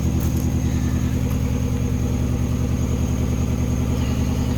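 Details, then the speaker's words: Mini Cooper with cylinder heads just refitted, at idle: lumpy, uneven throb vibrating with a repeating stumble about every second; one cylinder misfiring. "can feel it gosh not happy it's like it's missing it's firing"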